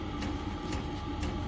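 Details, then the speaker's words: Chinese diesel heater being fitted in a shed, powered from a battery on a charger, diesel just added: sharp, regular ticks about every half second over a low hum, the dosing pump priming normally. "so anyway I'll put the diesel in as you can hear it's ticking away"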